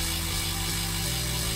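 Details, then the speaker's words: Road bike front derailleur in the big ring: constant scraping hiss over the chain's whir as the chain rubs the outer cage. Cable tension is too low even after backing out the outer limit screw; the fix is winding out the barrel adjuster. "now it still rubs right now so there's not enough tension in that cable"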